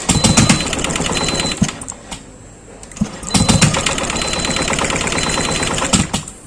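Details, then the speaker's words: Yamaha Aerox (old model) after SGCU and fuel pump repair and resealing: fuel pump heard running, no dash fault codes; injector tested before cleaning, fast crisp evenly spaced ticking bursts, injector sprays fuel normally. "Keluar ya, normal. Jadi saya mau tes hidup, sekalian saya bersihkan injektornya"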